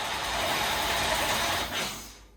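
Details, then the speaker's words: 1989 Chevy Camaro IROC-Z, 305 TPI LB9 V8, long-sitting non-running project car, on starter fluid; loud rough burst as it cranks and almost catches, then dies; has spark but won't keep running. "so I think we got spark cuz she's yeah she wanted to start"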